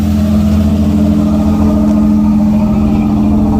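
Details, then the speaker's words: 1994 Pontiac Firebird 4th gen V8, after fixing a horrible engine noise, having sat about four months: revved, strong even note held at raised revs with no ticking or knocking; sounds healthy, slight lifter tap called normal for this engine. "Yeah! And Just slipped her down, that's all. it sounds good. It sounds real good."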